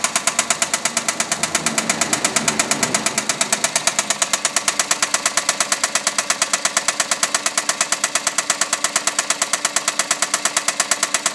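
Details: Engine run 16,000 km without an oil change: sharp, evenly spaced metallic knocking over the whole run without letup, heavy internal knock from oil neglect.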